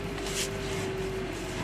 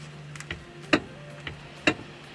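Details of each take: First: Hyundai Veloster after replacing the steering flexible coupling: steady low hum with faint constant tone as the wheel turns, no clunks or knocks; steering knock fixed. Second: Hyundai Veloster steering knock, typically appearing around 50,000–70,000 km: sharp, uneven knocks one or two a second as the wheel turns, from a worn steering flexible coupling needing replacement.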